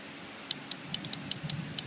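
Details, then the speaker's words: Automotive relay bench-tested with a power probe energizing pins 85/86: sharp, distinct clicks each time power is applied, showing the relay pulls in and is good. "You can hear it's clicking means your relay is good."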